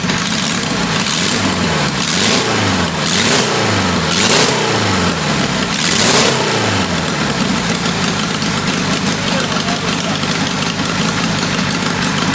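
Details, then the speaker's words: A roughly 525cc 4-cylinder military go-kart engine, test-fired after a VM22 Mikuni carburetor change, catches and surges in uneven blips before a ragged, wavering run; rough running, and ignition is suspected but not confirmed. "Okay. I do think we still have some runnability problems. It could have something to do with ignition or something like that."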